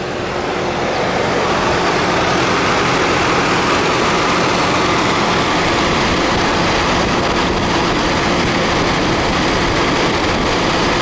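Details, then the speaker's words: 2006 GMC Envoy after alternator and water pump replacement, only stored code for the VVT sensor: starts right up and settles to a steady, even idle with no knocks, squeals or grinding; occasional slight miss in first 20 seconds. "so let's see how she starts hey start right up sounds good"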